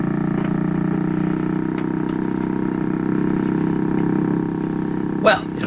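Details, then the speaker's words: 1940s Canadian Red Cross tube radio right after four capacitors were replaced: steady low put-put motorboating throb under the hum, with intermittent signal dropouts; possibly bad solder connections, cause unclear. "I do live near a big lake so maybe I'll take this out in the lake now motorboat my way across it"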